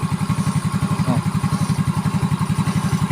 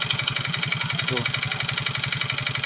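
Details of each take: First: Yamaha Mio J scooter after rebuild with aftermarket RKN cylinder block (previously rough, knocking, smoky, oil-burning engine, suspected piston): steady, even low putter at idle with no knocks or rattles; normal smooth idle. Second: Yamaha Mio J scooter idling with harsh, clattery knocking about eleven per second like a dompeng engine; also smokes and burns oil; piston slap from worn piston and cylinder suspected, connecting rod not yet ruled out until disassembly.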